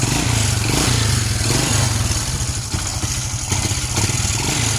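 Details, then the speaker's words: Honda Supra X 125 FI, previously totally dead with no ignition, started after the wiring was jumpered: quick, steady single-cylinder putter with no misses. Normal idle; the fault was traced to the wiring to the lamp circuit and the 12 V supply from the ignition switch. "Wah, hidup bro. Coba cek ya, dengarkan ya. Wah, hidup ini."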